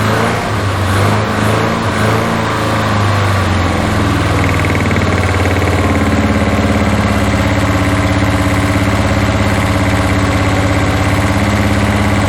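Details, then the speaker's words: 1981 Toyota Hilux RN46 4x4 with 18R-C engine, freshly rescued, no radiator fitted, run briefly off a fuel bowl: steady but lumpy, uneven idle that never smooths; owner guesses ignition timing still slightly out, cause unconfirmed. "the clutch needs bleeding as you can tell it's still not 100% happy I'm guessing it's still touchy out of time"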